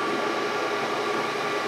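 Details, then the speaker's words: Used Brown & Sharpe 618 Micro Master surface grinder, hydraulics run before adding oil: steady hissing churn with thin high whine, table pausing, slowing and speeding up in the same spot; low oil, pump drawing air suspected. "See how it pauses? Pause, slows down, speeds up. Seems like it's in kind of the same spot every time. So I'm thinking potentially it may just be a flaw or an error in the hydraulic system."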